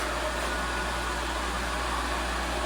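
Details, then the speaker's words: Shallow well water pump started after six months idle, outlet valve nearly closed: steady motor hum with low drone and airy rush, no pressure yet, still priming. "what I want to do is shut this off almost all the way Mo it just slightly open way we can hear it and what I'll do I'll turn it on see if we start getting pressure"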